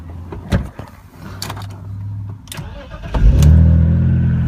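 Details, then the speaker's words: BMW E46, 5-speed, seller suspected head gasket as it leaks coolant, but no smoke, overheating or milky oil per owner: short crank, catches cleanly into smooth even idle; normal start. "Starts right up. The guy thought it had a head gasket. I don't know. I don't think it does have a head gasket."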